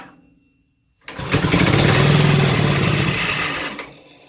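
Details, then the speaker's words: 5 hp engine on a mini race mower, cold start with starting fluid and half choke: catches after a second of silence, settling into a quick, even putter with no misses; normal cold start. "Wow. And it sounds good too. Let's try choke."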